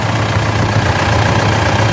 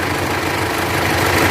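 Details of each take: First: Mitsubishi L200 Triton 3.2 diesel after timing chain kit replacement, about 10 km into a road test: a steady, even idle clatter with a smooth low rumble and no chain noise; the engine sounds healthy. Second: Mitsubishi L200 Triton 3.2 diesel at idle before repair, no warning lights: loud, fast metallic clatter over the steady idle; worn timing chain rattle, chain replaced.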